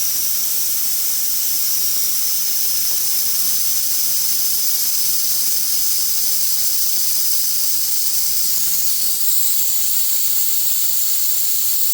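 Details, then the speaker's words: Truck air system deliberately bled down before undoing the supply pipe to re-pipe the diff-lock feed under the dashboard: loud, steady air hiss with no low-end rumble as the stored air empties; intentional venting. "Right. So, that's all the air evacuated out of the system."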